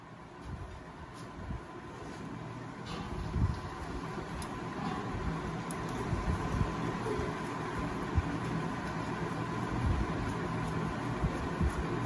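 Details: TVS XL Super (XL100) two-stroke with a starting problem: during reed-valve checks it catches and settles into a light, steady putter behind street noise, seemingly running normally; the mechanic suspects the reed valve has failed and then finds it folded double.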